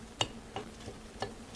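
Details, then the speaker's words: Chrysler Town & Country: a removed A/C compressor with a badly damaged clutch, turned by hand on the bench, gives sharp, dry, uneven clicks about three a second. With the engine running it made clacking and a growl near the serpentine belt. "so it was making this noise clack clack clack clack clack when the vehicle was running okay when the engine was running this was making noise okay"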